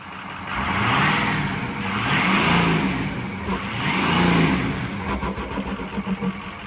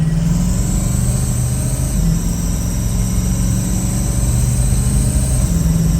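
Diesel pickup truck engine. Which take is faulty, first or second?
second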